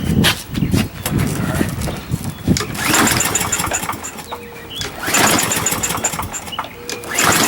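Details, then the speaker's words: Used 21-inch Murray push mower with its air filter missing, pull-started with starter fluid: repeated pull-cord rips with short sputters that die each time, never running on its own. The carburetor is thought to be probably junk. "Alright, carburetor's probably junk. I wish I could drain that float out."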